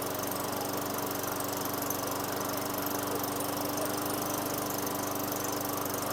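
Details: 2003 Craftsman mower, Tecumseh 4.5 hp 148cc engine with new correct carburetor, after raising idle via governor tab and throttle set screw: smooth, even idle at steady pitch, no misses or surging; idle speed sounds right.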